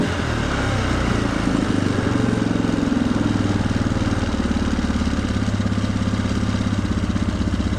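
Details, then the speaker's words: 1997 Polaris Sportsman 500 with a freshly rebuilt carburetor, cold, choke off, no throttle input. The single-cylinder idle gradually speeds up on its own. Owner suspects an air leak or a throttle issue; cause not confirmed. "so we've got no choke we're cold and we're idling we're picking up speed for no reason okay"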